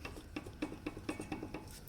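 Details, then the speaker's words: 2006 Chevy Uplander right rear brake caliper rocked by hand gives sharp metallic clanks; caliper loose from missing slide-pin rubber bushings, causing banging over bumps while driving. "problem where as you're driving down the road and going over bumps there's a banging noise that's coming from this area and i've already gone over the rear suspension shocks springs trailing arms bushings even the exhaust system and i can't find anything loose that's making any noise except for this rear brake caliper"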